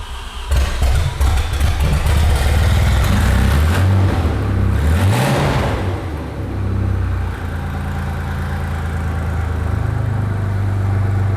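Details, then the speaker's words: Audi 90 Quattro Sport from salvage yard, first start: engine catches, revs sharply and settles, loud raw crackling bark straight off downpipe; running with missing exhaust system. "It runs! It runs! If it had an exhaust, it would sound good too."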